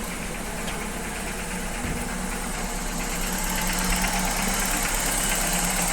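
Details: Old Opel petrol engine on first start after replacing rocker arms, lifters replaced a month earlier, cold: fast regular light ticking tracking engine speed; valvetrain knock persists, camshaft suspected.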